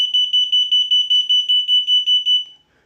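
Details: Unicycle anti-theft alarm under A/B testing: a shrill, high-pitched pulsing alarm of about a dozen even chirps in two and a half seconds, then it stops; the alarm sounds normally.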